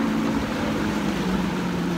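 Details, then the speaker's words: Outboard on a 1994 Nitro boat, running on the water after a flywheel replacement: an even, steady drone with no misses, knocks or surging. It runs smoothly. "Oh guys we're on the water and so far so good good she sounds pretty smooth actually yeah likewise"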